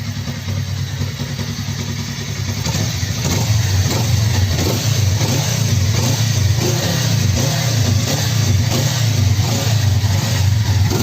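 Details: Freshly rebuilt Suzuki GSX250 gymkhana engine with forged piston, DL300 crankshaft and balancer, high-angle cam, slipper clutch and piggyback ECU, still being broken in so revved gently: crisp even revs, no knock, rattle or misfire; owner says very quiet.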